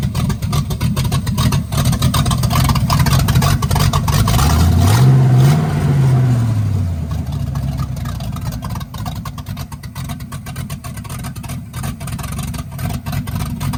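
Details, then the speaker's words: 1965 Chevy Impala, non-stock 396 Turbo Jet big block V8 with fresh camshaft, open headers: choppy loping idle, quick rev blip, settles back steady, good oil pressure; healthy lumpy idle. "I now have it where it's idling and everything and it's got some decent chop to it."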